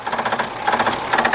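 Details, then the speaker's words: Old Ford diesel tractor parked about 10 years, engine full of water and oil from the exhaust. Uneven, rapid starter clatter as the engine barely turns; weak battery, slow cranking, needs more voltage such as a generator. "So maybe it didn't rust too bad. It's trying to turn. We need more voltages."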